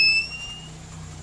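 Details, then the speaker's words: TBE 2000 W power inverter with no output, under repair: a single short high-pitched beep fading over a faint low hum, as the protection trips the alarm and no waveform appears. "Pagka nakarinig kayo ng ganyan minsan hindi tutun ay hindi magkakaroon ng wave form doon. Hindi lalabas kasi nga magti-trigger yung protect o kaya yung alarm."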